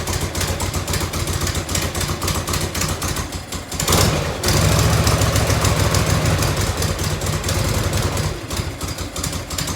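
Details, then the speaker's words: 1990 Harley FLHTC Evo V-twin, cold start on choke and fuel reserve, heat shield off. Loping idle with sharp ticks on each firing pulse: exhaust leak at a crooked header clamp that needs retightening, possibly shimming. "having a couple little exhaust ticks had one in here"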